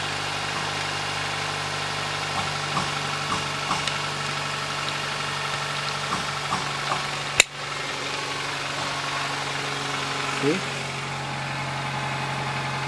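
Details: 2008 Nissan Versa CVT with codes P0746/P0868, after NS-2 CVT fluid refilled. A steady, even idle hum with no whine or clicking: it sounds normal now.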